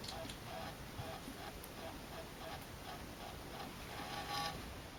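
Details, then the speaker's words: Celestron CGX telescope mount after full firmware upgrade of hand controller and mount controller; soft, regular whirring drive-motor pulses at mid pitch, about two a second, in a quiet room; mount drive motors still noisy. "now this is what it sounds like with the as we have it now after a full upgrade of the hand control and the mount I guess maybe the mount was the biggest room change really should have done that"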